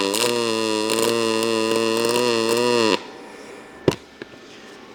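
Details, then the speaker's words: ArcCaptain MIG 205 MP in pulse mode at about 21.5 V, soft side of scale: even, unbroken buzzing hum for about three seconds, then a clean stop; pulse arc running well. "So, that's going pretty well for pulse."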